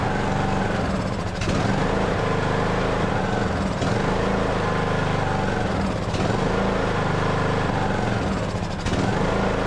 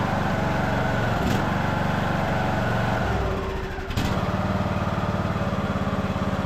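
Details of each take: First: Craftsman LT2000 riding mower, sat for years, single-cylinder engine with Nikki carburetor: holds speed only on choke, sagging and recovering roughly every 2.5 seconds; will not run on its own, carburetor to be removed. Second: Craftsman LT2000 riding mower after carburetor cleaning, fresh fuel and a needle-and-seat leak check: the single-cylinder engine thumps at a steady, even beat with a brief dip, then recovers cleanly, normal running.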